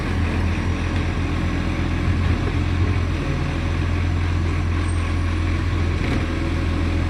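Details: Millicent Commercial Garbage truck SL01074 diesel at idle: loud drone with rough, uneven low chuffing consistent with a big exhaust leak near the engine.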